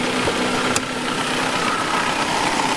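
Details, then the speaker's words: Mercedes 190E, 120,000 miles, in for rough running: now idling smoothly on all 4 cylinders with a faint airy intake hiss like no air filter (filter is fitted); no misses or knocks. "It's running. And it's running on 4 cylinders. I mean, it's running pretty sweet, that, to be fair."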